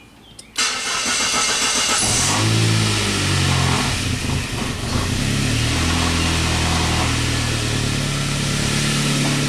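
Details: Saab from a crank-no-start repair, with ignition coil feed now 1.3 V while cranking versus about 200 mV before. It cranks about 1.5 seconds, catches with slight hesitation, then settles into a steady, even idle. Normal start and idle.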